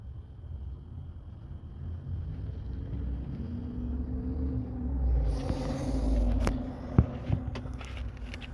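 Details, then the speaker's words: 2009 Toyota Sienna rear blend door actuator switched between cold and hot: a low electric whir for a few seconds, then light clicks, showing it works; rear heater blows cold, core suspected blocked. "Cold, hot. Okay. So, you can hear it very well. It's working. That means the blend door actuator is working."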